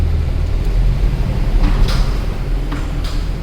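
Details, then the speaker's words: Mercedes C63 AMG after washing winter grime from rotors, pads and calipers: low road rumble rolling to a complete stop with no squeal or ringing; brakes now quiet. "zero nothing okay let's drive forward a little bit come to a complete stop zero squeal one more time stopping zero squeal"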